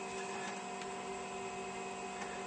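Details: Zenith Data Systems 286 (mono display) loading a game from floppy disk: steady whirring hum with soft periodic head ticks and a constant motor tone. Normal floppy drive reading.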